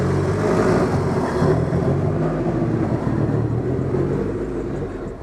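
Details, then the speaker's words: DSM on Haltech ECU after fitting The Harness Shop K-series coil-on-plug kit, no tune adjustment: catches and settles into steady, even idle, no misfire, stumble or ticking; ignition firing properly; normal start and idle. "She should turn on just like the other one did, without any adjustment to the tune. There you go. You fire it up."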